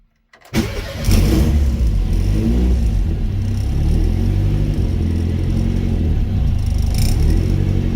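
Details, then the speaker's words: Mk1 Ford Escort with rebuilt YB engine, cold start after ECU crank-position setup and MAP sensor calibration: catches quickly and settles to a steady, even, slightly low idle, oil pressure 80 psi, no knocks or ticks; normal cold start and idle. "so tick over's a bit low but already you can see look at that oil pressure 80ps oil that tick over"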